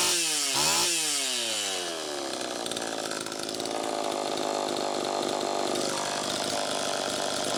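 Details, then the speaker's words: Homelite Super EZ chainsaw after crank seal replacement, carb settings unchanged; revs climb fast to a hard high scream and hang there. "first take a listen to how it's running it's pretty close but one key that something's still not quite right"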